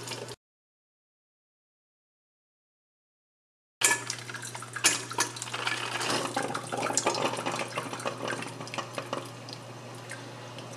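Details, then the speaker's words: Standard 12-cup drip coffee maker brewing 2 cups, already putting water into the pot 15 seconds in: after a pause, steady soft gurgle and hiss as water bubbles up through the tube; brewer working normally. "you can see it's already putting water into the pot and it's only 15 seconds into this"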